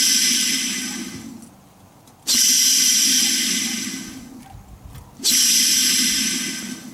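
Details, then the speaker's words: Transfer case NP247J from a 1999 Jeep Grand Cherokee Laredo that made a growling, whining noise; cleaned dry ball bearing spun by hand gives a gritty, hissing whir fading each spin; no rough spots felt but sound is suspect, bearings suspected as cause. "I think it's a little suspect. I like to get them out and spin them on my finger and see what they feel like. You know, you can try and kind of go like this and see if you feel any rough spots. Nothing feels too bad, but the sound of it is concerning."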